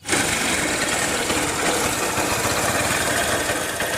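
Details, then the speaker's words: Honda Shine motorcycle after fully broken gearbox replaced: quick start then smooth, even idle with light ticking, no clunks or grinding; gear shifting smooth, all noise gone, normal healthy running. "की है final sound गैर सभी working में है गाड़ी को बढ़िया है कोई दिक्कत नहीं है गाड़ी में चलने के लिए रेडी है"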